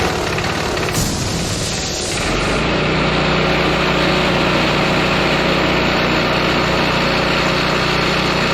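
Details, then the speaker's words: John Deere gas-powered engine-driven air compressor pumping to about 120 psi: steady chugging about three beats a second with a metallic clank; clanky pump noise, owner suspects a bad rod, though compressor functions correctly. "i like to say i don't like the noise coming from this compressor it kind of sounds clanky like it maybe has a bad rod"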